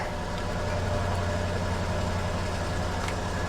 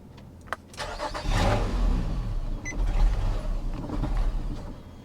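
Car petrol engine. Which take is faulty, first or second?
second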